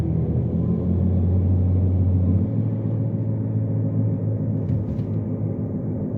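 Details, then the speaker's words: Rear left wheel bearing on a FWD Jeep Patriot hums with a deep, steady droning rumble while driving on a test drive. The bearing has no play and is not loose, it just makes noise. Rear drum shoes replaced under a year earlier didn't fix it. "so hopefully you guys heard that wheel bearing I checked it when it was here last time and it's not lose the the wheel bearing doesn't have any play or anything like that it's just making a noise"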